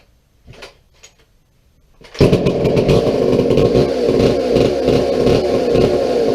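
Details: McCulloch 797 123 cc chainsaw, sat unfired for years, fitted with a fuel system and filter: after a couple of pulls fires and holds smooth, even high-revving buzz, no stumbling; healthy running.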